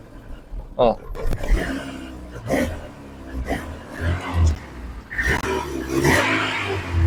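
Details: Injected VAZ 2109 (ВАЗ 099) cold morning start: lumpy uneven running that never settles and then dies; won't hold idle, high fuel use, needs ~10 min warm-up with throttle, began when weather turned cold; owner suspects sensors, MAF (ДМРВ); cause unfound.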